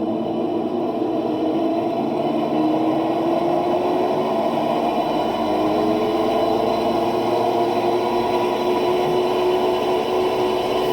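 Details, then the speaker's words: Electrolux LT12 washing machine spinning: loud steady whirring roar with tones climbing in pitch, from worn drive motor bearing, not the machine's mechanics; motor needs replacing, swapped with a used motor. "nós que somos técnicos nós entende que esse barulho aqui não é a mecânica da máquina esse barulho é o rolamento do motor dela que desgastou e tá barulhento aqui nesse caso aqui precisa trocar o motor"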